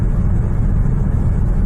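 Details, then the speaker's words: Trane air handling unit after fitting a new SPA 1400 V-belt, running on manual at about 10 amps, heard near the unit: steady, even low rumble with no knocking, rubbing or belt squeal, vibration not excessive; blower running smoothly. "अभी यूनिट के पास जाके उसका साउंड वगैरह चेक करते हैं, ठीक है, वाइब्रेशन ज़्यादा तो नहीं है। ठीक है दोस्तों, सही चल रहा है बिल्कुल यूनिट, आवाज़ ठीक है,"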